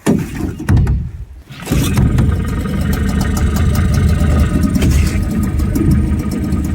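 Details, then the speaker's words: Nissan 5hp two-stroke outboard on a jon boat, started at the lake after carb cleaning: it catches quickly and settles into a steady, even buzzing idle with no misses. Normal idle; it never died during the outing. "Um, but the engine runs great. Never died on us once. Um, it's pretty powerful for only being 5 horsepower."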